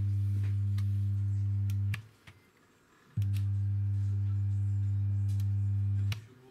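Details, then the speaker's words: Jet Balance speaker subwoofer after switch-on: loud, steady low hum around 100 Hz, checked on a spectrum analyzer, caused by a burnt amplifier chip; power-supply smoothing capacitors are the usual suspect. "после включения и сабвуфера раздается гол гол чистотой стой герц специально запустил спектроанализатор чтобы не было споров 50 герц или 100"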